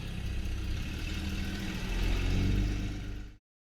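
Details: 1977 Jaguar XJ12 V12, after it backfired with a boom and quit near home: the engine catches and settles into a smooth, even low rumble with no misses or knocks.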